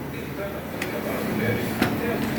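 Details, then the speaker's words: Pole Aro 29 mountain bike, about two months old: a few sharp metallic clacks about a second apart from the suspension fork; broken silicone top-out bumper bushing lets the bolt head hit metal. "O cara, acho que tem uns 2 meses que ele comprou ela numa loja aí. E a suspensão tá fazendo esse barulho"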